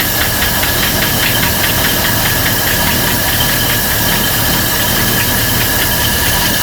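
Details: 1955 Buick Special that sat unknown years, at first start after carburetor work with wet points: a fast steady idle with a rapid ticking tap over a hissy roar. It holds idle but is still lazy off idle and dislikes throttle.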